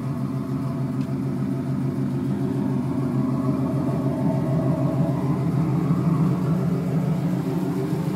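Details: '96 Camaro Z28 LT1 V8 idling: steady low rumble with light fast tick in time with the engine, owner says valve train, suspects valve adjustment needed; unconfirmed.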